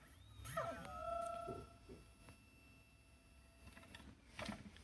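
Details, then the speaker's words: Disassembled SATA hard drive with read/write heads removed, powered via an adapter: a click, then a thin steady whine for about three seconds that never winds up. The spindle motor is failing to spin up. "Oh, it's definitely not happy. [quiet intermittent buzzing sound]"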